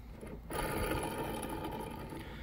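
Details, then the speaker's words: Big rig belt tensioner, removed after belt screeching when the fan clutch engaged at higher rpm: hand-spun pulley gives a dry, gritty rasping whir instead of a smooth spin; worn tensioner pulley bearing, tensioner also losing tension. "so I didn't even notice this until I got back home but uh this this was bad can you hear that not supposed to sound like that supposed to be smooth"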